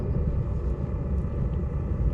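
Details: Chinese clone diesel heater running after an attempt to quieten it with exhaust mufflers: a steady, low, deep roar that is only slightly quieter. The owner now suspects the motor bearing.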